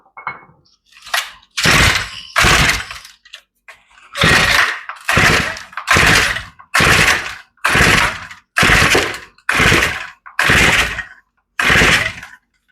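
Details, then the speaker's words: Older Shindaiwa commercial two-stroke trimmer, long unused, cranked by pull cord after starter fluid (carburetor linkage had jumped): sputters each pull but never catches. Feels like it's trying to kick, indicating compression and usable rings and cylinder. "I tell you it feels like it's trying to start it's trying to kick anyway and that's what we wanted to see"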